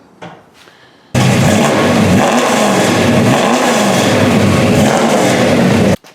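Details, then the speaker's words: AMC Javelin V8 started after relocating the battery to a trunk battery box, paint burning off the headers: fires and runs strong with deep rumble, two gentle rev blips, steady and even; normal healthy running. "And we'll give it a whirl. All that paint's burning off them headers, but have a listen here."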